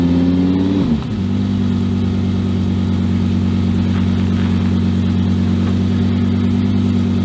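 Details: Volvo 244 race car with a mid-mounted V10, first startup and a brief drive: the engine flares up, drops at about one second and settles into a steady, fairly loud drone. The owner suspects a gearbox or electronics/adaptation problem; not confirmed.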